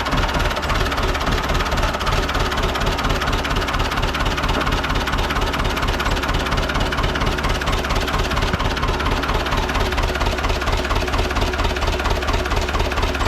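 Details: Ford 6600 diesel tractor, sitting about 8 years, just started after starting-fluid spray bursts while cranking; low on antifreeze so run briefly, some smoke. Even, rhythmic diesel clatter at steady low idle, no extra knocks or hunting: normal idle.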